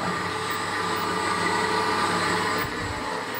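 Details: 1940s A.G.E. three-phase antique motor, possibly with sleeve bearings, running at normal speed after the pulley was loosened: steady, even hum with a constant mid-pitch whine, no grinding or knocking; runs well, normal running.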